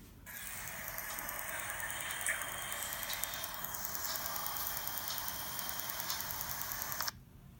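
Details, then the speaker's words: iPhone 7 recording: steady high hiss with faint irregular ticks and thin whistles, picked up by the microphone while shooting video or under heavy load; suspected phone hissing/ticking fault, not confirmed. "sometimes it has also picked up from the video camera you know when you're shooting video this ticking noise is picked up in the background from the microphone"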